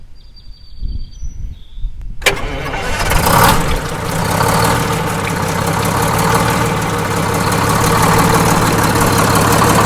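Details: Detroit Diesel 6-71N bus engine, fresh in-frame rebuild, checked for fuel jumper leaks: quick crank, catches, then a steady even idle with loud blower rush and no knocks. Normal idle; a blower rubber connection needs tightening.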